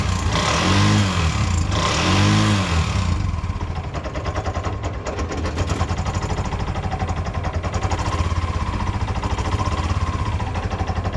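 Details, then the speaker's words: Bajaj 205cc engine rebuilt with new head, bore and shaft: light, quick tappet ticking over a steady low idle, appearing once warm; nothing found on checks, fault suspected in the new cylinder head. "ಏನು sound ಬರುತ್ತಂದರೆ ಇಲ್ಲಿ ಟಾಪಿಟ್ sound ಬರುತ್ತೆ. ಏನು ಮಾಡಿದ್ರೆ ನಿಂತ್ಕೊಳೋ chance ಇಲ್ಲ."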